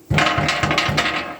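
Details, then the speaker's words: 2023 Jeep Compass Flex T270 with a rear rattle while driving: four hollow knocks on the fuel tank sheet-metal shield, each with a short loose rattle from a stone trapped on top of it after gravel-road driving. "que simples que era a causa do barulho. Eu vim aqui em cima, enfiei a mão aqui, certo? Ó, ó o que tinha caído dentro da lata. Uma pedra, galera."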